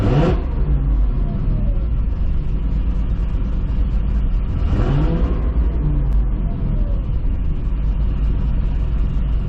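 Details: 2005 Corvette V8 first fire after installing a C7 starter with heat shield, ceramic-coated Kooks 2-inch headers and refitted coil packs: deep, steady rumble with two clean rev blips, no misfire, ticking or exhaust leak.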